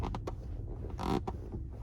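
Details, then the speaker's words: 2022 Toyota Camry SE AWD, about a month old, while driving: sharp, dry creaks in short bursts as the driver's body shifts right over bumps or corners, the seat bolster rubbing against the armrest, over steady road rumble. "When my body shifts to the right, it's the bolstering on this on this chair. So that is you know, it's right up against the armrest."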